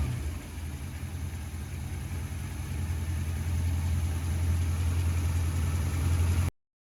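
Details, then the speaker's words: Holden HT 308 V8 after cracked exhaust manifold repaired with MIG welding; owner says it seems better now: deep, even rumble building smoothly as revs climb, no ticking or puffing; normal running. "anyway said that all manile pretty tast um I probably should have used weld all rods but I didn't have any so meig is what it was anyway she seems be better now"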